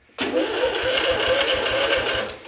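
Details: John Deere riding mower after replacing the damaged PTO switch connector pins, parking brake on: starter spins the engine with an even quick chug for about two seconds; normal cranking.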